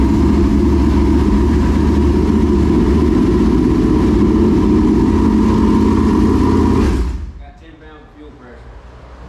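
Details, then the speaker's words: Newly installed V8, first start before fuel has fully worked through the pump: fast, steady idle around three and a half pulses a second, a touch high, then shut off to adjust down. "adjust that down just a little bit it's going to change once we get all the fuel through the pump and everything i mean everything's fair right now"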